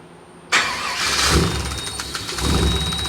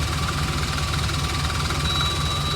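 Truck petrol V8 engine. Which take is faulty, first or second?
second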